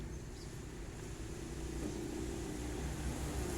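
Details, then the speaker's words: Hitachi automatic washing machine after replacing faulty motor (had hummed but not turned), spin test: quiet low motor hum building smoothly as tub speeds up, no knocks or grinding; motor now spins normally. "มอเตอร์หมุนได้ปกติแล้วนะครับก็สรุปได้เลยนะครับว่าเครื่องนี้เป็นที่ตัวมอเตอร์เสียนะครับ"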